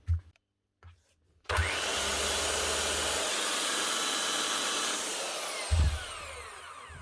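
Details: Makita TW1000 impact nut gun, low on power and sparking, after checking and freeing its brushes: clean, steady motor whir spinning up smoothly and running evenly for about four seconds before easing off; sounds healthy.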